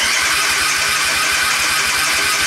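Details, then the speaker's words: Suzuki Intruder 125 V-twin, crank no start: steady fast starter chugging, no catch; ignition module voltage sags from about 10.7 V to 8 V while cranking, below its 12–15 V rating, so it won't fire (common factory fault). "spadek napięcia do 8 woltów więc już ten motocykl Nie odpali za Chiny Ludowe"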